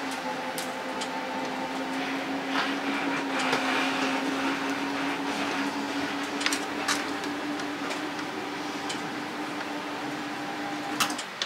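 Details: RV slide-out extending, tested on battery power during auto generator start wiring work (slide is the biggest power draw, voltage around 11.98–12); steady electric motor whine at one pitch with light mechanical ticks, smooth and even; normal slide-out motor operation.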